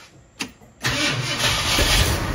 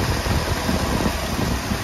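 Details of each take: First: 1966 Ford Thunderbird, first start in years after sitting neglected and engine reassembly, weak battery on charger: brief crank, then rough, uneven fast idle that only keeps running on gas poured down the carburetor; owner suspects vacuum leak or fuel pump. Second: 1966 Ford Thunderbird V8, new Summit carburetor, first start after sitting about two years on old gas: steady, even low idle with no knocks, misses or ticks; normal idle.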